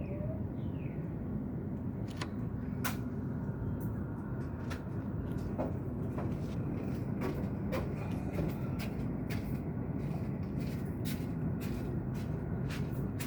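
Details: Car running after a new water pump was installed. Steady, low rumbling grind with scattered sharp clicks over the engine. The source of the grinding is unknown.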